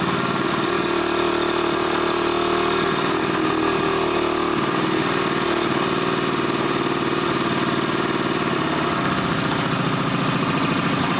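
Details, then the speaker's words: 1981 Suzuki GT250 X7 two-stroke barn find after full rebuild, first start after air screw tweak and easy start: loud, lumpy running with an uneven missing beat; only one cylinder firing, carburettor issue suspected. "I think it's only running on one cylinder. Yep, definitely running on one cylinder."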